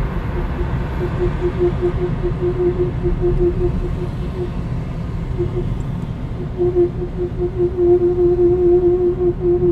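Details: Mazda 2 1.5 petrol 103hp driving slowly at 10-40 km/h: pulsing mid-pitched tonal groan over road rumble, worst when the car is hot, disappears when the brakes are applied; source unknown.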